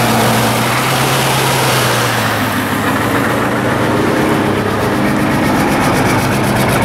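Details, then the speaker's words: 1990 Ford F-Superduty with naturally aspirated 7.3 IDI diesel at idle: heavy clatter with uneven, lumpy, weak beat, after hard starting and white smoke; signs of a failing injection pump. "sign number three a rough running engine so now you got everything you got the hard start the white smoke and the rough running it'll also sound weak like really weak"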